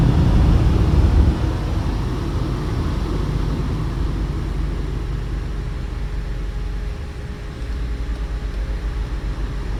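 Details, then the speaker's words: 2011 Buick Lucerne HVAC blower after repairing open speed-control wire between HVAC controller and blower motor controller: steady, even low rush of air with no rattles, squeals or surging; blower runs smoothly, temperature dropping. "So you can hear the fan going, you see the temperature dropping. This thing is all fixed."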